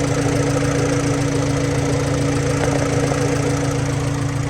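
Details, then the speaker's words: Hatchback after cam seal and timing work, nearly warm with AFR in the 14s; steady even idle, smooth constant hum, no misses or ticks, no leaks. "Alright, she's just about warmed up, pretty close. I can tell because AFR now is in the 14s."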